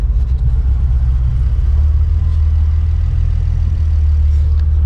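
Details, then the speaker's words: Car after E85 conversion with bigger fuel injectors installed, not yet tuned, warming up: low idle rumble that sags nearly to stalling and recovers; hunting idle, owner suspects fuel cut-off; later it dies. "It starts, but it's choking a little bit. I can hear it dying, almost dying, and then starting again."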